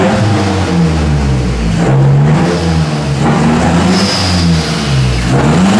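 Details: 2008 Mazdaspeed 3 fully built (bored .020 over, CP pistons, Pauter rods, new crank, Precision 5857 turbo, Corksport turbo-back exhaust) at first start-up; engine blips up and drops back cleanly several times, no knocks or rattles; normal free revving.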